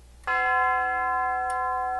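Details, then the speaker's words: Tube gong grandfather clock on a test stand after hammer leather pad refurbish: the hour chime on the longer pipe gives one clean strike, then a clear, steady tone that fades slowly. Normal. "not too bad. It is supposed to is a longer pipe."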